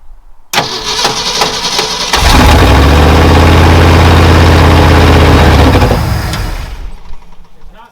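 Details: 1968 Ford F-100 V8 after new starter and starter solenoid fitted: clean cranking without clicking, then catches and settles into a deep steady idle; starter and solenoid working normally.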